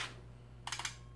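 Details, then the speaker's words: Ms. Pac-Man cocktail arcade machine, bought non-working: coin counter ticks and counts up on its own with no coin inserted, over faint hum; coin switches and start button give no response, screen dead. Cause not confirmed. "All right, so the coin counter is just counting up. That's obviously not working the way it's supposed to."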